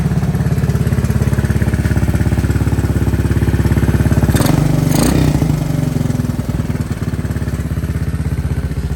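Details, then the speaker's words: 1984 Honda ATC 200S three-wheeler with new carburetor, no air filter fitted: single-cylinder thumping about 200 beats a minute, brief rev then back to a somewhat uneven idle with clear exhaust popping; engine running. "I want to start it up and make sure she's running with this new carburetor"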